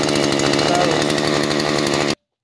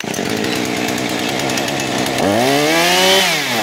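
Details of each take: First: Husqvarna 435 chainsaw after carburetor replacement, badly flooded before, now running hard at high revs with rough burbling edge while pushing out excess fuel; flooding clearing. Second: Husqvarna 435 chainsaw after carburetor replacement, having been badly flooded, idle and low screws adjusted: steady idle, then two quick blips that climb and drop cleanly back to idle without falling on its face; normal idle and throttle response.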